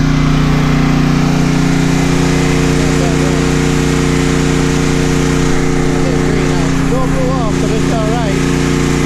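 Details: Home backup generator during the Hurricane Ida power outage, feeding the house with the incoming line breaker off and powering the refrigerators and freezers: steady, even drone with constant pitch that never hunts or surges. Normal running under load.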